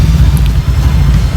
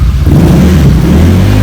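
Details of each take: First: Honda Vario 150 New (K59J) on Juken 5+ ECU after remap to Core 2, idle rpm setting changed; low, throbbing, uneven lumpy idle, rough, idle screw then opened slightly (under three turns), crank noise still harsh; cause unconfirmed. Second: Honda Vario 150 New K59J with Juken 5+ ECU freshly set, standard racing exhaust, throttle blips after start: engine climbs and drops cleanly with no misfire or stumble; throttle feels light and responsive.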